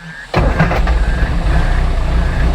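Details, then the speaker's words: Classic Mini, 1330cc A-series engine bored 60 thou over, SW10 cam (believed Kent 286 equivalent), start-up: catches and settles into deep, throaty idle with gentle rhythmic cam lope, nothing too aggressive, no knocks; healthy lumpy idle. "a nice little lumpy idle, nothing too aggressive, but yet it has a real deep throatiness to it."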